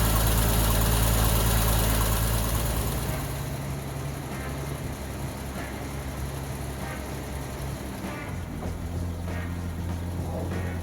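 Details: 1965 Mustang after sitting about a year under a winter cover: starter churns a few seconds while the dry carburetor fills, then it catches into a low, steady idle with a faint even tick, no oil or generator light; healthy.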